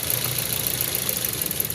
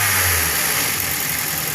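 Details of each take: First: Car misfiring at idle even though the coils test good and the spark plugs were changed and swapped. The idle is uneven and stumbling with a lumpy beat and the engine vibrating. The main fault was traced to a fuel injector. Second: Misfiring car after the faulty fuel injector was replaced, with the owner giving light revs. The idle is short and even with a steady hum and no stumble or miss; the car is now fine.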